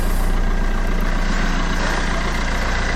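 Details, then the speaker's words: Fiat Doblo diesel idling after sump replacement, oil change, exhaust refit and turbo refit with new gaskets: even clatter at a steady, regular idle with no misses or knocks; oil level dropped slightly after running; sounds healthy. "excellent sounds absolutely fantastic sounds great"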